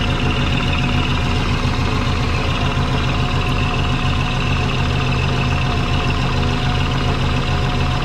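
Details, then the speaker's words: Twin-turbo Subaru: steady engine drone with soft rapid chuffing from an exhaust leak low down; owner suspects a flange isn't flat or the header-to-head joint. "it just sounds like there's an exhaust lake down here somewhere yeah i can hear a chuffing going on"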